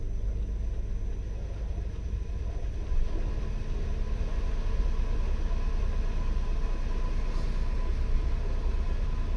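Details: 15 kW continuous air-cooled permanent-magnet electric inboard, direct drive (no gearbox) on the original 18" prop in a heavy displacement motor cruiser, on the water at about 230 rpm rising toward 550: low, steady, near-silent rumble and faint hum, no knocks or whine; running normally under load.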